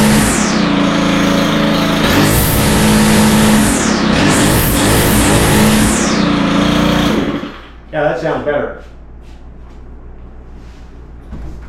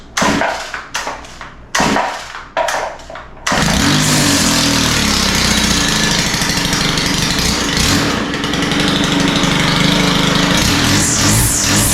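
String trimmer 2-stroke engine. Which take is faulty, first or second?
second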